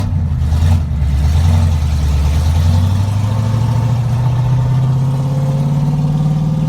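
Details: Second-generation Camaro with a ZZ430 V8 on its first test drive after a misfire was found and repaired; smooth, even note climbing steadily in pitch through the revs with no stumble or miss.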